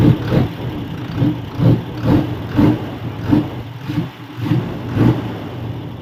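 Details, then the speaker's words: Thai truck, diesel, engine revved repeatedly over steady idle: each rev rises and falls evenly, no knocks or rattles; judged tighter-sounding than the other truck, healthy. "เสียงคันนี้แน่นกว่าเนอะ"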